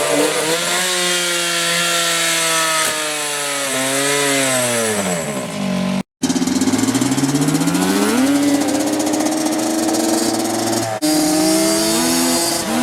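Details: Yamaha Banshee two-stroke after fixing clogged carburetor jets (it previously ran then died, leaked fuel, wouldn't restart): raspy buzz climbs and falls cleanly with each throttle blip, no stumbling or cutting out; running healthy.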